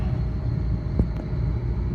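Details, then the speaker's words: Newly installed three-phase scroll compressor at first start-up on a walk-in cooler remodel, running backwards: a steady low drone with a single click, and suction pressure does not drop. The fix is to swap any two power legs. "so there it is running look at the pressures and listen to it so that's going backwards okay so that's going backwards"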